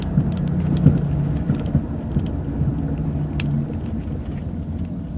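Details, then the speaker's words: 2001 Jaguar X-Type 2.5 manual, 107,000 miles, road test over lumpy lane after replacing rear top and lower control arms, ARB bushes and drop links for knocking; steady rumble, only very slight noise from back; rear suspension normal. "well that was very satisfactory there's only a very slight noise coming out the back now"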